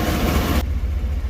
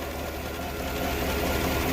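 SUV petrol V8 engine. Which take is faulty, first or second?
second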